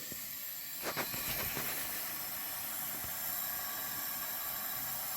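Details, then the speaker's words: 1981 Honda CB900C, engine off, leak-down test on cylinder 4: steady airy hiss of air going into the crankcase, 85% leakage, air also felt at the number 4 exhaust pipe. Worn piston rings; exhaust valves possibly bad. "It's going right down in the crankcase, and we have 85% high leakage on number 4."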